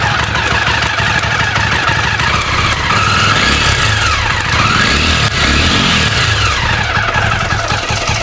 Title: Jawa engine noise problem??